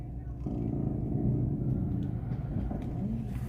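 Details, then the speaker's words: Car stationary, windows closed, steering wheel turned lock to lock: low engine hum with occasional dull creaks and knocks that worsen when steering; a suspension creak, also heard while driving. "quando você mexe o volante faz mais ainda tipo um rangido"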